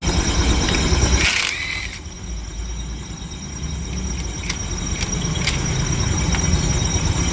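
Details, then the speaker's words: TVS Jupiter scooter running with a CVT clutch problem: an uneven rattling knock about three per second over the engine note. When opened, two broken iron pieces were found, the clutch rubbers were worn out and the belt was cutting. "ये देखिए आवाज आ रही है। छुपचुक आवाज आ रही है।"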